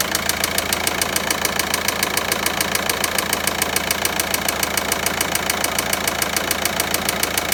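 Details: VW Passat 1.9 diesel at steady idle with a sharp, very regular ticking knock at about three and a half per second; the source is still undiagnosed.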